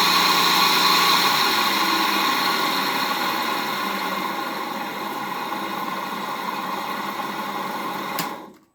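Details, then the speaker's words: 1HP three-phase motor for Bridgeport mill, apparently wired for low voltage, first run on VFD at low variable speed in forward, before bearing replacement: steady whine with gritty rough hiss pulsing about four times a second until coast-down; bearings worn. "so on first inspection, other than the bearings, appears electrically it's working. Not liking this."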